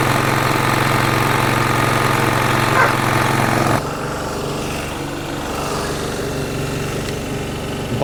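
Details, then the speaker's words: Single-cylinder petrol generator that had fluctuating rpm; after a new jet, rubber seals and gaskets and the governor spring refitted, it holds an even, steady beat with no hunting, running properly. "Let's check it out. Well, basically, everything works."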